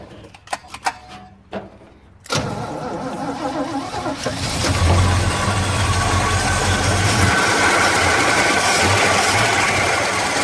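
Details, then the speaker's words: 1953 Chevrolet pickup off the road for 26 years: the fuel pump is now pumping gas, and after a few clicks and cranking it fires and runs on its own, but unevenly with a ragged, surging note. Gas was pouring from the back vent hole, which needed adjusting. "well it's fired up and it's running on its own now so it's pumping gas but it didn't want to uh run very good"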